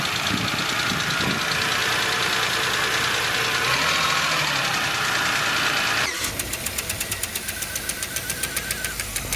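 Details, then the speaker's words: Idling engine with a light, sharp, even tick about four a second from a hydraulic lifter/rocker not fully filled with oil; often after an oil change or startup, constant means it can't retain oil. "si este ruido se escucha constantemente es probable que el balancín haya perdido la capacidad de retener aceite es necesario que lo revises"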